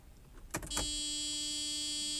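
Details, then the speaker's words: 1993 Mercedes-Benz 500SL (R129), unregistered and undriven since about 2014, new battery fitted; key on gives a steady, harsh warning buzzer with no cranking, car doesn't even try to start; owner suspects a dead fuel pump, spark untested. "hideous buzzer [Music] so it doesn't really even try to like start"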